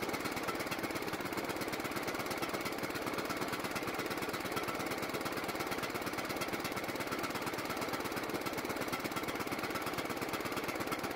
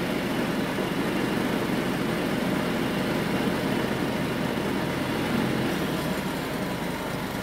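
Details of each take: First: John Deere riding mower single-cylinder engine, carburetor primed with gas, putters fast and unevenly with a rough hunting beat, staying running only when partly choked and dying otherwise; lean running, carburetor suspected. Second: John Deere riding mower engine after carburetor refitted; formerly ran only mostly choked. Now idles out of choke with a steady, even low rumble, no stumbles or surging, holding speed: problem fixed.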